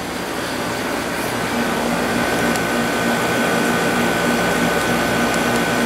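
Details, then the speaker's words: Sharp 6500 BTU air conditioner running a while in roughly 70°F ambient, output air down to about 41.7°F; steady compressor hum, smooth fan rush, faint constant tone, no rattles, functioning very well. "So as you can see, everything is functioning very well."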